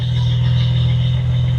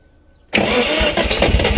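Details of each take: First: 1971 Datsun 240Z after restoration, first start-up, in neutral: a deep, even idle hum with no misses, pops or stumbles, sounding smooth like an electric motor. The carbs seem close to synced; a normal idle. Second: 1971 Datsun 240Z on its first start in restoration: the engine bursts into uneven life for about three seconds, then sags and dies. It is fuel-starved because the carburettor bowls are not yet filled, and a fuel leak is suspected.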